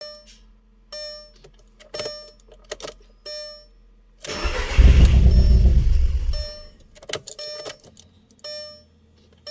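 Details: 2001 Audi TTS: chimes, then about two seconds of steady starter cranking that never catches; engine cranks but won't start.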